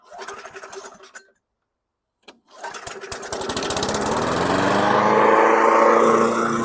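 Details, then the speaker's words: 2008 Weedeater 22-inch 500 series mower, engine model 10T502, customer-reported non-start; started on carb cleaner, it coughs, catches and climbs to a high steady rev that never drops back, a sticking throttle. Resistance remains and something is binding; recoil to be removed and oiled. "so we still have some resistance I'm going to remove the recoil and oil some oil this up a little bit"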